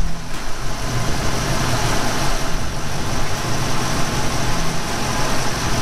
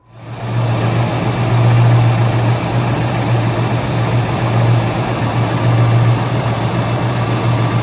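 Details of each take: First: 1991 Ford Mustang GT convertible V8, idling in neutral after a repair at the clutch/bellhousing area, inspection dust cover off: steady, smooth low rumble with slight vibration. The earlier rattle is gone, normal idle. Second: 1991 Ford Fox body Mustang GT Convertible (T5) idling in neutral: loose uneven rattle like an exhaust shield, louder and faster with revs, almost gone when clutch pedal is pressed ~1/4 inch; throwout bearing rattle.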